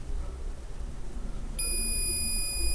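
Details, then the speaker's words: Asus VivoBook X543M laptop that will not power on, cold scan of the motherboard with a multimeter: a steady continuity tone on the capacitor's ground side, as expected; the other, positive side has no short. "it's peeping because it's ground and there's no shots on the other side okay and you know capacitor they should be shorted on one side because one side is connected to ground but the other side it's uh it's positive okay"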